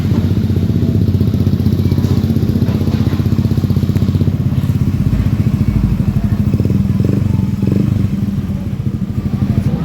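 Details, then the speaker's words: Honda Beat FI scooter after repairing an ECU-to-fuel-pump-relay signal fault and replacing the CKP sensor: steady, even low putter with regular beat, no misses or knocks; engine now starts and idles normally. "ini mesin sekarang sudah menyala, sudah normal."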